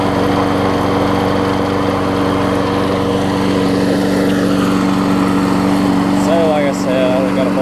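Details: 5 hp Briggs & Stratton single-cylinder transplanted onto a 2014 Weed Eater push mower, run to burn off oil: steady, even drone with no misses, surging or knocking; runs cleanly.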